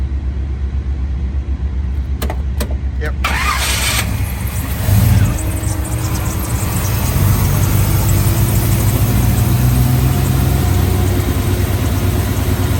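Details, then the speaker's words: 1955 Chevrolet Bel Air, 350 crate V8, 700R4 automatic, restored 6–8 years ago: a few starter clicks, then the engine catches and settles into a smooth, steady low rumble; healthy start and idle. "But anyway, we are going to fire it up now and let it dry, or let you hear it run, and then get in and drive it."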